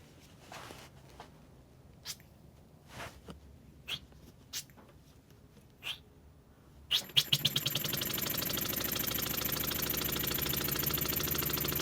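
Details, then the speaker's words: Homemade Wig Wag wobbler-style oscillating steam engine running on hand-controlled air pressure: a few scattered puffs, then fast chuffing beat that wavers because constant pressure is hard to hold; uneven running from unsteady supply. "There you go. It's difficult to keep a constant pressure."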